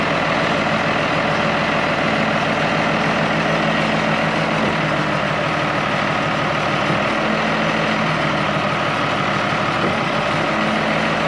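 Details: International IH 175C track loader diesel, sat a long time, freshly serviced with fluids and filters changed, run outside under light work: deep steady even rumble, no knocks or misses; normal healthy running.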